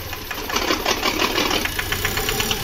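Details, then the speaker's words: VW Polo 1.2 with rebuilt engine, after timing and injector nozzles corrected: fast, even ticking knock over the running engine after start; mechanic suspects a too-thin head gasket or valve/piston problem, unconfirmed. "मैंने गाड़ी की timing और नाजिल सिरोही सही कर दिया है तो आप फ्रेंड्स एक तो एक परसेंट इसके इंजन में दिक्कत है"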